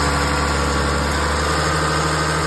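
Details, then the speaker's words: 2004 Lexus ES330 started after timing belt replacement, which had been chirping: smooth, steady idle with an even hum and light injector ticking, no chirp or squeal from the belt area. "sounds pretty good. I don't hear any horrible noises."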